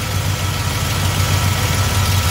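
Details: Small-block Chevy V8 with Edelbrock carburetor at idle, distributor rotated counterclockwise to retard timing from 8 degrees; deep steady rumble, slow and lazy with no misses; idle drops from retarded ignition timing.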